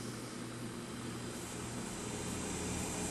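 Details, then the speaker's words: Wollensak Model 1288 stereo tube tape recorder after amplifier restoration, volume turned all the way up with no tape: soft steady hiss with a low hum beneath from one speaker; amplifier powered and working normally. "And we hear some hiss coming from one of the speakers. But we have turned all the way up for it. So that's good."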